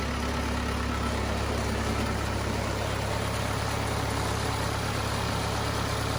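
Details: Cummins 4BT diesel in a Power Wagon, first run since 2015, temporary battery, 8 psi fuel pressure, not hot; steady even low idle clatter throughout, no misses or knocks: normal healthy idle.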